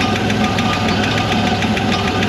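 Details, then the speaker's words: 1960 Corvair with the 80 hp engine, sat in a Kansas field since 1991, revived; timing 12-13, dwell 32: a sharp light tick about eight times a second over a steady idle, now just one noisy hydraulic lifter where several were noisy before. "sounds like just one lifter now there was several before"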